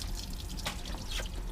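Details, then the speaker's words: Four Winns Freedom boat outdrive, just reinstalled after maintenance, water shut off: irregular drips and a light trickle; owner suspects water coming through the bellows, though they look fine and the source is unconfirmed. "sounds like it's coming through the bellows maybe this is the outlet are there two we never did get underneath it and look at the bellows but they look fine from here hard to see"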